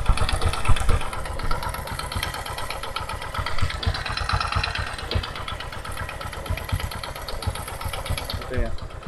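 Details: Carbureted first-generation Honda Supra 125 (about 2006–2007) idling roughly with a steady metallic clatter from worn piston and connecting rod; engine lacks power.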